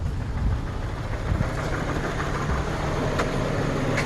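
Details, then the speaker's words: 2014 Journey with the 4-cylinder engine and its check engine light on: the engine shakes badly with an uneven, lumpy idle and irregular low thumps. Idle misfire, fixed by replacing the spark plugs and coil. "As you can see, this thing is kind of shaking pretty bad. It has a misfire."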